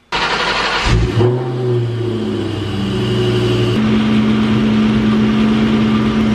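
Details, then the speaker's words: Supercharged engine running with an uneven metallic rickety clatter; belt-driven noise traced to the alternator pulley slipping on its shaft, metal shavings present, nut likely not tight enough. "so there you go guys if you have a rickety clickety clackety noise like I had which I almost wasn't expecting it to be this but when I looked at it it's all the metal shavings I knew something was up"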